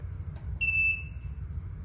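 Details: 1000W pure sine wave transformer inverter with charger, output 229 V, internal 28.3 °C, automatic fan off: one clean high beep about a third of a second over a low hum when holding button for settings; normal acknowledgement tone.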